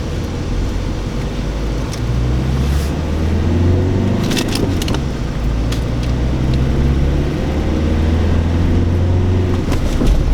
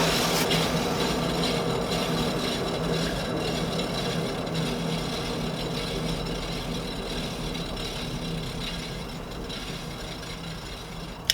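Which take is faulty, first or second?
second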